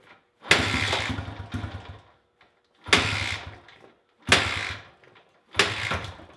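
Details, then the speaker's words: Honda XR100 after hours of carburetor cleaning and adjusting: it fires, but on any substantial throttle it bogs and nearly dies; no ticking or cam chain noise; owner suspects a fuel or carburetor issue. "I can get it to fire up but as soon as I give it any substantial amount of throttle it'll just bog down and want to cut off"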